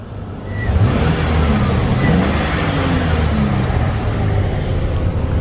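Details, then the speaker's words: 2007 Chevy Express 3500 van with lifter tick, after Motor Medic flush, warming up: revs climb and hold with a deep, even drone and no ticking from the top end; normal, healthy revving. "So I'm just gonna rev it up. Listen to this thing, smooth as can be."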